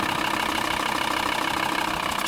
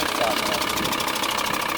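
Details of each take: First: 2000 VW Transporter T4 after oil change to 10W-40 semi-synthetic, new filter and hydraulic lifter additive: smooth, even idle with steady hum and no top-end ticking; lifter noise cured. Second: 2000 VW Transporter T4 at idle after an oil change to 10W-40 semi-synthetic with hydraulic lifter additive: harsh continuous scraping rasp; newly fitted timing belt hydraulic tensioner does not fit properly and rubs on its cover.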